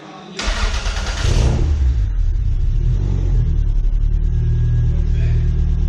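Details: Toyota MR2 2nd-gen 3SGTE after re-torquing head, checking valve clearance and repairing an electrical connection: catches quickly, steady even run, deep exhaust note, no popping or ticking; normal running.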